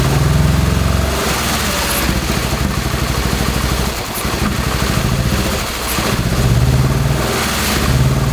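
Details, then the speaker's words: First-generation Subaru Crosstrek with a hand-built 2.5L engine swap, fully warmed up: uneven loping run with sagging dips and sharp exhaust pops as unburnt fuel ignites; owner suspects faulty or stuck-open injectors. "So there, I let it warm up so much that we started to ignite the unburnt fuel in the exhaust, which could make sense."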